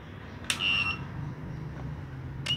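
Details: Cheap 1000W inverter attempting to start a 1/2hp motor pump: sharp high beep held about half a second, another two seconds later; overload alarm tripping, failed start.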